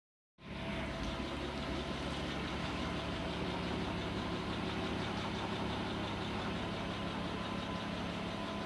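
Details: Audi A6 C4 2.6 V6 (ABC engine) at idle: uneven low tapping about four times a second over a steady hum; strange engine knock, cause unknown.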